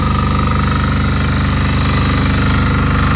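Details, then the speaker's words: MEP831A 3 kW military diesel generator, 240 volts, low load, quarter tank of fuel; starts right up, steady fast clatter with even throb, no surges, misses or knocks. Normal running. "We'll fire it up. The exhaust comes out of right there. Starts right up, runs nice."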